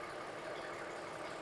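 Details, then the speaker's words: 2009 Toyota Highlander, about 276,400 miles, idling 5–10 minutes after new spark plugs and O2 sensor (heater circuit open) for cylinder 2 misfire: steady, even idle hum with no stumbles, skips or knocks; running smoothly. "had this running for maybe 5-10 minutes. It's running nice and smooth."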